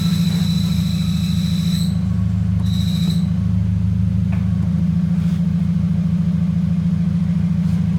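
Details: Scion FR-S manual, cold start idle: high thin squeal cutting in and out, gone when clutch pedal pushed in; confirmed bad throwout bearing, fixed with clutch replacement.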